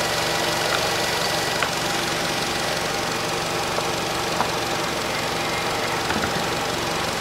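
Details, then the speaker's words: 2012 Nissan Qashqai 2.0 petrol after spark plug replacement (NGK PLZKAR6A-11), warmed up, engine cover off; smooth even idle around 700 rpm, no misses or knocks; normal idle. "автомобиль прогрелся сам вышел в свой режим по двигателю слышно обороты рабочего него получается около 700 оборотов"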